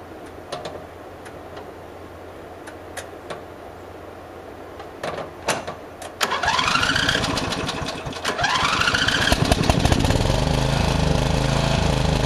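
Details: Murray riding mower, mouse nest cleaned out: the choke is pushed on and off to simulate a stumble that began after cutting half to three-quarters of the lawn. Clicks, then the engine catches and runs unevenly, revs sagging and recovering in surges. Owner maybe suspects overheating.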